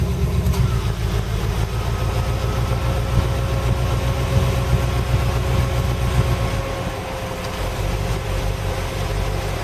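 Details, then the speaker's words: Jaguar XJ12 fitted with a V8, new points, condenser and engine loom, idling with the air conditioning on at 30 degrees outside. A deep, lazy rumble with an uneven pulse that sags slightly; the idle is slow and the owner says it needs a tune. "Need to give it a bit of a tune. It's idling a little slow."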